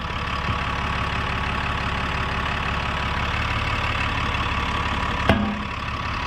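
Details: 1960–63 International Cub Lo-Boy tractor sitting 10+ years fires and runs steadily for several seconds on starting fluid, then dies. Compression is fine, so the fuel supply is suspected; new plugs and a drained tank with fresh fuel are planned.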